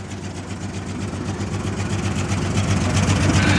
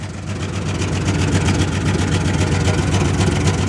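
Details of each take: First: 1996 Jeep Cherokee, 131k miles, long parked, first run after fuel reached the engine: steady low idle with an even beat, about four pulses a second, no stumbles or knocks. Owner suspects two injectors not working; exhaust leaks, no fuel leaks. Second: 1996 Jeep Cherokee at 131k miles, after a loose fuel-filter clamp was tightened, with two injectors possibly not working: steady idle with a rapid puffing, ticking chuff over the low rumble. Leaky exhaust, no gas leaks.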